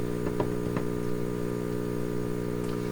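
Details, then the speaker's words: Symphonic 242-A8 suitcase record player at first checkout: steady loud low buzz with a few faint clicks; suspected power supply hum, possibly from disconnected wires, source not confirmed. "that that sounds like a power supply hum but it could also be coming from wires being disconnected"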